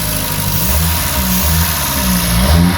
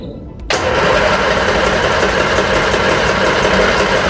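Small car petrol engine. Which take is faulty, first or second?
second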